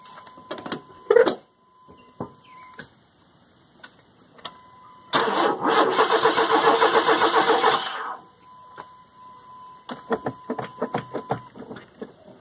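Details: CPI motor on a new battery, cranking: steady cranking about four beats a second for three seconds with no firing or catch, crank no start; owner suspects a dead fuel pump because he hears no pump kick in.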